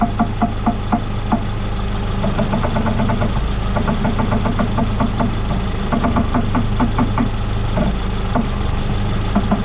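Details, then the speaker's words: 2014 Ford Fusion idling with steering at full left lock: sharp clicking pops in bursts. The electric power steering motor is separating from the rack due to a broken bolt, with water intrusion and corrosion. Earlier strut replacement didn't fix it. "Now I'm going to lower the vehicle down, and we'll see if we can hear that popping noise from that motor to gear."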